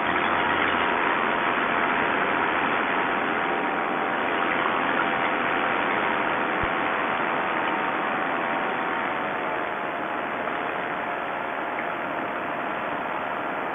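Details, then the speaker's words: Paramotor two-stroke after a rebuild, following a slight turn-in of the carb low-speed screw: a steady, even buzz with no hunting or misfire over fourteen seconds; a big improvement, normal running. "okay what we did is we turned in the low speed screw just a little bit and uh that made a world of difference"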